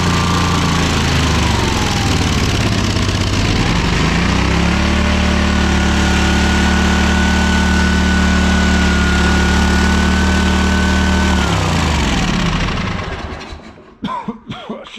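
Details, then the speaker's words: ZT200 mower twin after ignition conversion and carb parts, cold, on choke, run indoors: runs steadily, revs rise then settle back, slightly uneven while cold; otherwise sound running. "done that outside okay it runs i'm happy with that"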